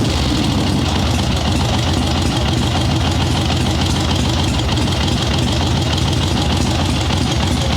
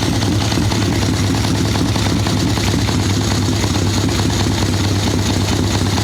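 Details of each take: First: Harley-Davidson Ironhead Sportster chopper, Mikuni VM38 carb, kick-started with no choke after needle changed back from thinner one; steady loping V-twin idle, taking throttle much better at about 1/8, still slightly boggy at first; excess fuel corrected. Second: Harley Ironhead Sportster chopper with Mikuni VM38 carb, cold day, idle circuit tuning, choke off: loping, uneven idle that thumps and sags with soft muffled note, boggy; rich mixture, owner unsure it is only the carb.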